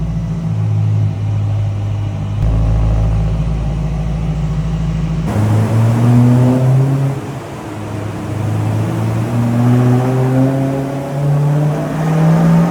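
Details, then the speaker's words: Supercharged BMW E90 M3 after rebuild following engine failure, dyno runs: loud, clean pull climbing smoothly through the revs, lifting off and climbing again with no misses or knocks; healthy engine. "keep going up and up it sounds so good there's nothing better than this"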